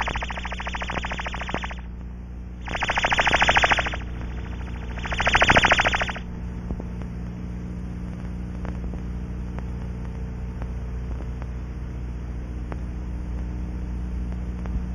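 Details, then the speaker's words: Aircraft cockpit window checked without pressurizing, ultrasonic tone generator aimed at the window and scanned from inside with an ultrasound probe: warbling tone swells loudly twice along the window edge; cockpit window seal leak. "to find the leak in the Seal of this cockpit window we aim the tone generator at the window and use the same scanning method from inside the"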